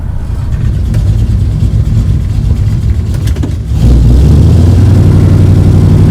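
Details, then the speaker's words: 1973 Dodge Dart Swinger V8, test drive in second gear at about 40 mph, only at a certain part-throttle position: tinny rattle/whine over deep drone from bell housing area, found to be a bent bell housing dust shield. "now right there second gear at about 40 miles an hour seems to do it badly yeah right there real bad hope you can hear that it's only under a certain throttle position"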